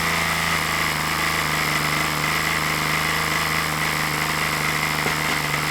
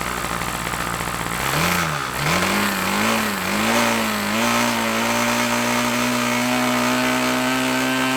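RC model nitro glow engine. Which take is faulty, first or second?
first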